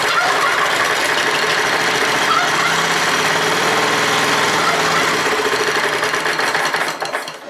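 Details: Neglected Honda F810 rotavator, a long-standing non-runner: fires on petrol dropped into the carburetor, runs briefly at about four beats a second, then fades out starving. Carburetor blockage suspected; idle jet screw checked next.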